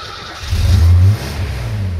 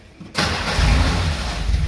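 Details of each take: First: Mercedes G-Wagen from a warehouse of stored cars, low on fuel, original fuel injection replaced by a carburetor; started with starting fluid, catches and runs with uneven rev surges and steady throb between, sounds healthy. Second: Long-stored classic car from a warehouse, cranked on a jumper battery while starting fluid is sprayed in. The starter churns with a low, even rumble but no firing beat takes over; cranks but no start.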